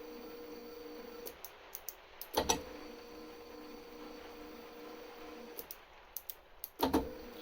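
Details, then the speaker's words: DIY mill X-axis power feed with a NEMA23 stepper and DM556 driver at 36 V from two 18 V drill batteries, pulsed by a function generator: a steady hum with a clunk at each direction change. Belt is loose; fix is ovalizing the bracket mounting holes. "You can hear a bit of a clunk there when I change direction. Belt's a little bit loose, so I'm just going to have to modify this bracket."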